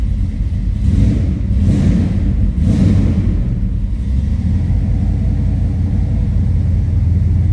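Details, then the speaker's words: 1969 Pontiac GTO with a built 428 XF-code V8, cold-blooded, warmed up after a cold start; deep loud rumble with a few early blips, then a steady lopey idle, no knocks or misses; healthy engine. "All right, I think we're warmed up. Told you it sounds healthy. There's a little rumble."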